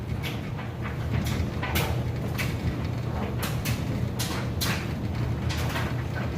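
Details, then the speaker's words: Kenmore electric dryer, king-size capacity, running on high heat with a load of clothes: even low motor hum with loose thumps from the tumbling load, nothing grinding or squealing; smooth normal operation. "can see in here it's got a nice smooth operation sounds great"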